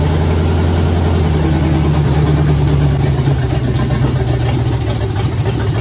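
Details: 1967 Pontiac Firebird, sat 25 years, with a 1977 Pontiac 350 and TH350 fitted, first start after fuel poured into the carburetor: deep loose V8 rumble at a fast idle, slightly uneven as it settles; normal running after first start.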